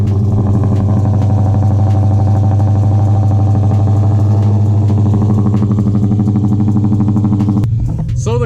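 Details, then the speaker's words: Cammed Dodge Charger R/T V8 (CompCams HRT Stage 2, E85, new tune) cold start after two days parked: deep, lumpy rumble settles into a steady, choppy cam idle with no stumbling or misfire. Starts in one go, where it previously took 2–3 attempts. "Naturally it takes a little bit longer to start up on E85, but as you guys know, before it took me like 2 or 3 attempts to get it to start up."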